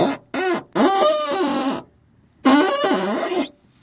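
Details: Peugeot/Citroën 1.6 THP car door letting out loud, wavering squeaks as it swings from a dry hinge or check strap; easily fixed with WD-40.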